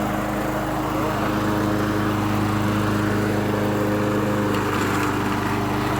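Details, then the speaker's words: Late-80s/90s John Deere 14SZ mower, 5 hp, unrun 2 years, after carb cleaned, jets cleared and carb correctly reassembled: even, steady engine note at constant speed without surging or stumbling; runs perfectly. "It runs perfectly with a new carb clean and when you put it together correctly. So look at that. It runs perfect."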